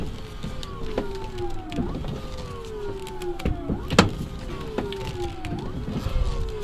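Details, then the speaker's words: Drift car converted to an electric power steering pump with controller, water pump pulley removed; electric motor whine dipping and recovering every second as steering is worked, no grinding or groaning. Normal operation, may need better bleeding. "You can hear it. And watch this. Easy as smooth as butter."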